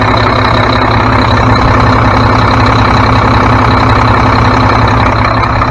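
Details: Mack MP7 diesel truck idling right after turbo and actuator replacement, coolant refilled: steady, even low rumble, no knocks, misses or turbo whistle, no major leaks; engine runs smoothly.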